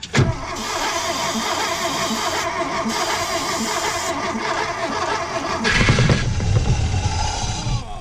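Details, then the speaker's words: 1973 Porsche 914, sitting 3 years: long steady cranking then brief louder surge as some cylinders fire, never runs; throttle body found frozen. "Oh yeah. It would fire."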